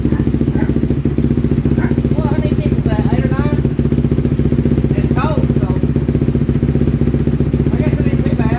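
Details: 2007 Honda CRF150R single-cylinder dirt bike, just reassembled, cold start: uneven thumping at low idle, stumbling and hesitating when blipped, a flat spot until warmed up; owner calls the carburetor finicky and plans a new one.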